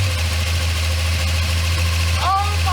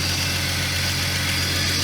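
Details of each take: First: Jeep XJ Cherokee, first start after sitting 11 years in a tree line, on fresh 87-octane fuel with the fuel pump heard priming: a low idle with uneven pulses that sag and stumble before recovering, and smoke as old oil burns off. Rough idle; cause not confirmed. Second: Jeep XJ Cherokee, first run after sitting 11 years in a tree line, with the alternator and belt newly refitted: a steady, even idle with a smooth low hum and no knocks, ticks or belt squeal. Normal idle; afterwards coolant is seen spewing near the thermostat.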